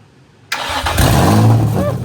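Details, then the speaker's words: Nissan 350Z after full engine replacement, first startup: quick crank catches immediately, settles into smooth even idle with no hesitation or misfire. Normal engine start. "Oh, there was no hesitation. >> Go, dude. >> None whatsoever. That was first startup."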